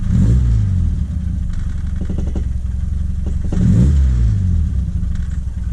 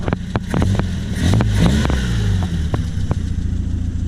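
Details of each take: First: 1978 Triumph Spitfire, Weber 38 DGAS carb, warmed up, new distributor and coil, choke blades not fully open: rattles, revs climb then sag and fall away, unresponsive; hesitation from fuel starvation and an intake manifold leak. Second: 1978 Triumph Spitfire with the choke off. A low, even idle rumble around 800–900 rpm carries a few light clicks, set just above a bumpy 750. The engine runs steady and smooth.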